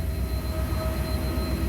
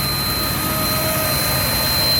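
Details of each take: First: 1991 Chevy K3500 4x4 dually, 454 7.4 L fuel-injected V8, about 140,000 miles, warm after a drive: starts right up with good oil pressure, smooth even rumble with a faint whistle that stops with air cleaner on; normal idle. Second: 1991 Chevy K3500 4x4 dually, 454 (7.4L) V8, after a tune-up with a new distributor, warm after a drive, air cleaner off: a thin steady high whistle rides over the idle, then drops out; intake whistle of unknown source, absent with the air cleaner on.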